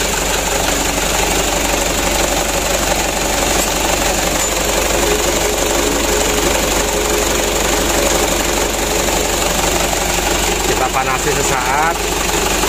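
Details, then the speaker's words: Mitsubishi Canter diesel that was hard to start, after a DIY injection pump plunger replacement: steady diesel clatter at a slightly high idle, even and unbroken throughout; the engine now starts and runs well. "kita coba lagi ok Ya udah hidupnya sudah lumayan bagus"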